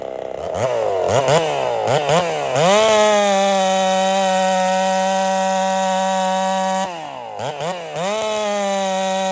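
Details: Holzfforma 372 chainsaw, big bore kit, wild porting, first test with ignition timing advanced: blips up then holds a flat high note that won't climb, ragged popping, won't rev out; owner suspects timing too far advanced.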